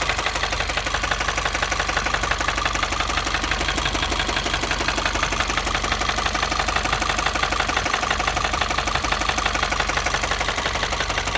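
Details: 2015 Subaru WRX engine: steady metallic ticking knock about three per second over the running engine, persisting as throttle is added; owner suspects internal engine knock, seemingly from inside the engine, cause unconfirmed.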